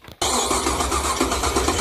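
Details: Small-block Chevy V8 in an S10. A sharp pop is heard on the start attempt, then a rough engine note continues: the carburetor backfires while starting.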